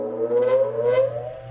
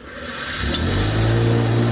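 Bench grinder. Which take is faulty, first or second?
second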